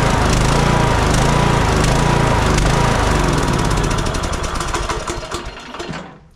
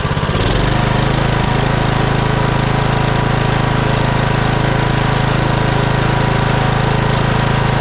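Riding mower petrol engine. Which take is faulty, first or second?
first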